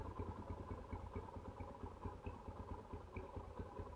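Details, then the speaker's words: 2008 Yamaha Scorpio 225 single-cylinder, rough-sounding after 5 months unused, oil changed, engine then disassembled on right side and reassembled: quiet even putter, no harsh clatter, fairly smooth; normal idle after repair. "Nah. seperti ini ya suara [Musik] aslinya. Nah, suaranya udah lumayan halus nih"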